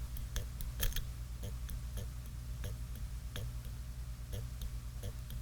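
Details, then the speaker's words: 1950s ATR mechanical power inverter (6 VDC to 110 VAC), vibrator held near the mic with current applied to its coil during repair: soft, fairly regular ticks about twice a second over a low hum as the reed pulls over; the coil inside is okay. "so you hear that how it's kind of pulling over you kind of hear it pull over like that so the actual coil is okay inside this"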